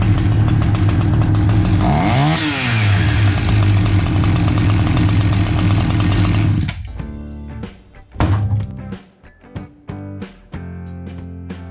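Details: Husqvarna 359 chainsaw that sat two years, test run after a carb kit and fresh fuel mix: fires up, revs cleanly up and down, then settles and runs steadily; normal running.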